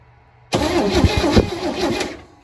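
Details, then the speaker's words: 1970 International Scout, first start attempt in years: starter churns steadily about a second and a half with no firing while a grounded plug is checked; cranks, no spark, later fixed by a new coil and tightened cap wires. "More. Please. Okay. We got nothing."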